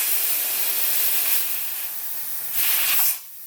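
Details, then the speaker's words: Twin-turbo LS Ford Ranger with boost issues: air fed into the 3-port line to both wastegates, which previously did not open up to 25 psi. Sharp air hiss swelling and cutting off; both gates open normally at about 7–8 psi. "you can hear them opening. And I'm going up to about 7, 8 pounds, and they both do open."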